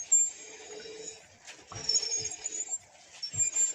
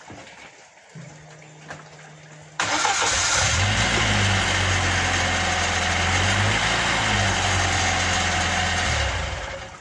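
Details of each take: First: Rear drum brake with the wheel removed, in neutral, drum turning: a thin, very high-pitched whistle comes and goes as it rotates, from dry rear drum brake parts. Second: Car rear wheel with drum brake, previously whistling; drum could not be removed but parts were greased: after the fix the engine runs steadily with no whistle from the rear wheel.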